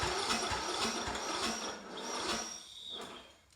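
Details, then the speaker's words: Troy Bilt mower parked since 2014 (about five years) with old ethanol fuel, spark checked, cranked before carburetor cleaning: starter churns in uneven chatter, never catches, old fuel smelled; suspected crank no start from stale fuel. "Not bad. I smell old fuel. I don't think it's gonna run."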